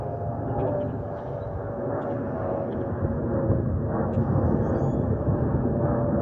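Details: Delta Airbus A320-211 N325US in flight, cabin: constant roar with a faint steady mid-pitched whistle on top, the harmless FOPP airflow whistle.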